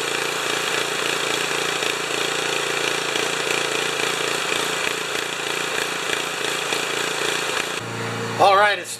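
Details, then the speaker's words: Honda HS720 snow thrower engine after the carburetor bowl, jet and emulsion tube were put back on, running unloaded with a slow rise and fall in speed: still surging at no load, so the carburetor is to come off for ultrasonic cleaning. "surging under no load so that means I'm going to take the carburetor off and put it through the carb washer"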